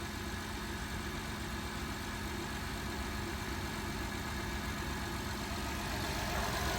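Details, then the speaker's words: 2012 Honda Odyssey V6 petrol engine after the P3400 repair, with the rocker arm oil pressure switch replaced and the oil changed: a smooth, even idle with a steady low hum and no ticking, knocking or hunting. It runs cleanly. "just make sure you change oil on time see now it's run smooth"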